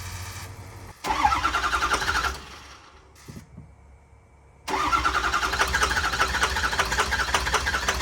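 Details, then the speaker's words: 2006 Ford F350 6.0L Power Stroke diesel, after new fuel pump: rapid cranking, brief rough catch, pause, then fires to a choppy idle; hard start and stumbling, owner suspects vapor lock, fuel bowl later found dry. "I'm going to take the fuel bowl cover off on the front and I'm going to see make sure I'm getting fuel I think there's a big vapor lock up in there"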